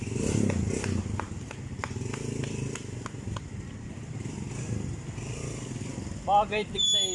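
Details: Barako 2 motorcycle engine after a tune-up and timing chain tensioner reset: steady low idle with light, even ticking about twice a second and nothing harsh underneath; sounds healthy and settled.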